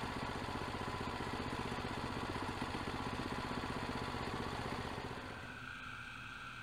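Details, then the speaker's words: Predator 212 single-cylinder engine rigidly bolted to the frame without rubber mounts pulses about three times a second with a heavy shaking rattle; the vibration goes straight into the seat and becomes intense at certain rpm. "t is less than ideal because all of the vibration created by this little engine is transmitted directly up into my seat and at certain rpms the vibration is so intense that I can't even see"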